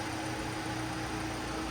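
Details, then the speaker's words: Car being built for the owner's dad, shortly after its first start: idle settling down, smooth and even with a steady low hum, no knocks, ticks or misses, no leaks, coolant no longer being drawn in. "It's idling down. It's idling down, guys. It sounds amazing."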